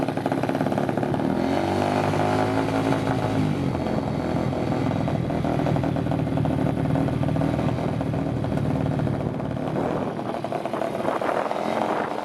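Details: 2021 Apollo RFZ 125 dirt bike after sitting for months, first test run with new exhaust, new carburetor and new filter: the small single buzzes steadily, quick revs climb and settle cleanly, and it holds idle fine; normal running.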